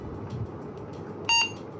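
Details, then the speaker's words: Faulty AMD 386 DX/40 motherboard that was power cycling: single short high-pitched POST beep as it boots with a picture on screen, then reboots in a loop; cause unknown. "it's booting up and then it's rebooting but we have a picture on screen"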